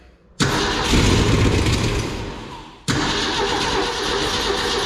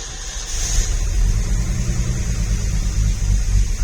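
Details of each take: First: 1965 Ford F100 six-cylinder, sat 13 years, fed gasoline into the carburetor bowls: three bursts where it catches, roars a second or two and dies; the carburetor doesn't seem to be carbureting. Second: 1965 Ford F100 after sitting 13 years, new plug wires, cap and rotor, gas poured down carburetor, choke pulled; catches quickly and settles into a low, steady rumble with no misses or knocks; normal start and idle.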